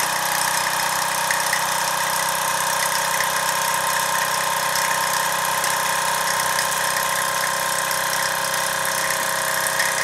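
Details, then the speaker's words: Mamod SR1 steam roller (1963/65, probably 1965/66), aluminium wheels, after boiler cleaning: soft even steam hiss with quick light chuffing, no knocks or squeals; quiet, owner unsure if aluminium wheels resonate less than steel ones; normal running. "Quiet too. I don't know whether that's because of the aluminium wheels don't resonate like the steel ones."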